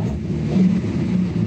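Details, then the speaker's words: Datsun 280Z on Speeduino, MAP-based acceleration enrichment values doubled: engine rumbles up on a quick blip but bogs and misses instead of picking up cleanly, hesitation and misfire on tip-in from over-rich acceleration enrichment. "I'm gonna expect this thing to bog as soon as I got it you hear that it had to miss"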